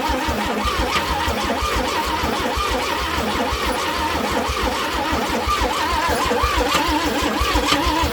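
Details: Old Chevrolet C10 project truck being started after checking fluids and wiggling wires, coil wire inspected: starter churns engine over in an uneven rhythm, no cylinder catches; cranks without starting, weak coil/spark suspected, coil swapped afterwards.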